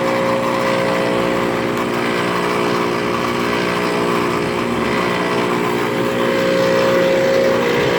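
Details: 1997 Ruud outdoor unit, about 27 years old: loud, harsh, steady roar with fast pulsing throb and constant hum; excessively loud running condenser, worn out.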